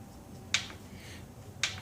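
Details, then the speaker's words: Newer outboard controller wired to an older outboard engine via adapter harness, key turned: two crisp clicks about a second apart from the primer solenoid, working properly. "the clicking that's for the primer so far as I can tell it's working"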